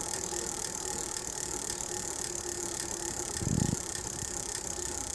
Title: New bike gears wobbly and making ticking noise